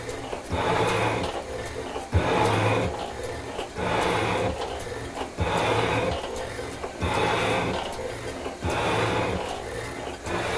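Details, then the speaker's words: Shaper cutting a cast iron clapper-head block, feed set at three: even repeating cutting strokes about every second and a half, smooth with no chatter or knocking; normal cutting stroke. "sounds pretty good donut let's see if it'll take the feed"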